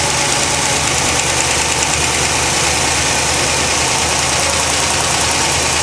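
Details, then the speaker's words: 1980 Corvette at idle: fast light ticking over the engine note, owner thinks plugs may be arcing but pulling plug wires makes little difference; engine ticking at idle, cause unknown. "Okay, I've also noticed a big ticking sound, which is not as loud right now, but whenever you listen to it on the video, it's pretty loud."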